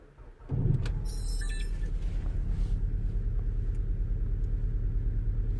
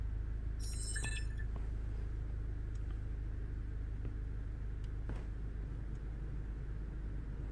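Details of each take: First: 2010 VW Golf GTI cold start idle, uneven loping rumble with irregular pulses, misfiring more noticeable when cold; engine light flashing, sometimes EPC light, running poorly, trouble codes stored. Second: 2010 VW Golf GTI after the misfire repair, idling while warming up with misfire recognition enabled: low, even idle rumble holds steady without stumbles or skips; running smoothly with no misfire.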